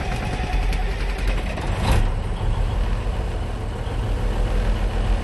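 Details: 1973 Kenworth dump truck diesel started with the clutch down and the parking brake set: a deep, steady rumble running evenly with no knocks or stumbling; healthy idle.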